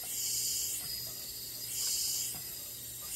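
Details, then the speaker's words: Leak-down test on an engine that burns oil, rear cylinder at about 30 psi, sound at the open dipstick: soft, even hiss with no strong rush; normal crankcase blow-by past the rings, under about 2%, head gasket leak very unlikely. "so basically the rear cylinder is good we're getting a normal blow by reading which is the air pressure passing past the rings it's probably less than 2% head gaskets at the same time is very unlikely"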